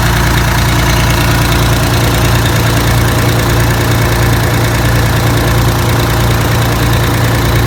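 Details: 6V92TA two-stroke after installing Jake brakes on the passenger side, test run once oil reached the jakes: steady rough-edged idle with even throb, no knocks or misses; normal idle, successful test.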